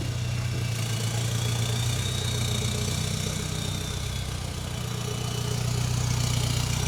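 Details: Volkswagen Jetta Wagon diesel idling during testing of a newly installed full exhaust: steady, even idle with a deep exhaust drone and no knocks or misses. Normal idle.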